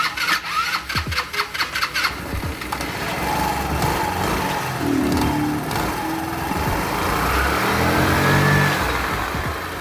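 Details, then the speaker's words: Motorcycle CVT after refitting the belt properly: a few cranking pulses, then smooth, even drive with no slipping, rattling or abnormal noises. "Este ya agarra, ya no hace ruidos anormales, solamente vamos a poner la tapa para volver a confirmar si no hay algún otro ruido anormal."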